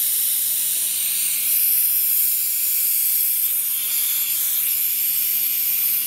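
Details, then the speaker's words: Rolair JC10 air compressor after fitting a brand-new unloader solenoid valve: with the motor stopped, a steady high airy hiss that doesn't fade; owner suspects air leaking at that spot, unconfirmed. "so you hear that his sound after the motor stopped I think this air is leaking here"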